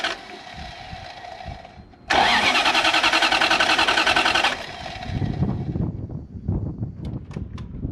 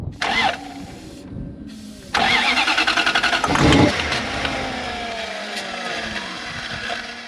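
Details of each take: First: Toyota 1UZ V8 swapped into an FJ40 Land Cruiser barn find, suspected seized injectors freed by tapping; engine catches quickly, revs strongly, then settles into an even run with no misfire or stumble. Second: Toyota 1UZ V8 in an FJ40 Land Cruiser barn find cranks in bursts, then catches into a lumpy, stumbling idle that misfires, likely not firing on every cylinder. Very seized injectors are suspected.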